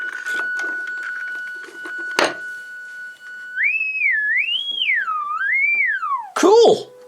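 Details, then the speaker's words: AWA R7077 beat frequency oscillator circa 1943 during restoration, at full power; steady high whistle then a tone sliding up and down in pitch, thin and quiet; weak audio output from a dirty output valve socket. "it up right full power and just wait for that oh i hear something not very loud"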